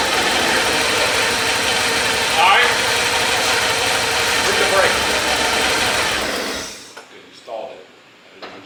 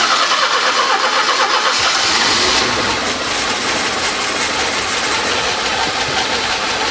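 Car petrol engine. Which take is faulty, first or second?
second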